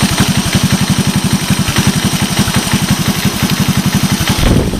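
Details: 1986 Honda TRX125 single-cylinder from a scrap yard, hotwired and run on a jump pack, low on gas. Quick, even idle putter with a steady rhythm and no knock or miss; runs well.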